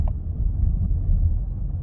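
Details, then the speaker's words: Chevy Cruze/Trax/Sonic/Encore after replacing the driver's-side hub bearing, which had roared from about 15 and badly at 70: driving with only soft even road rumble and no roar or growl. Normal wheel bearing. "I hear no roaring noises or grinding noises. This is about the speed it would start making a noise. Let's try to get up to 40. Nothing. No noise whatsoever. Now it's running like it's supposed to."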